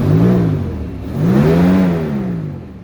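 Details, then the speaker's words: Mostly stock 1996 Jeep Grand Cherokee ZJ, 5.2L V8, 152,000 miles, before a tune-up, with fuel suspected as an issue: two smooth throttle blips, note rising and falling evenly, no knocks or misses; healthy normal rev. "not too bad for a 1996. i mean it still sounds good like i say it's got 152 thousand miles on it"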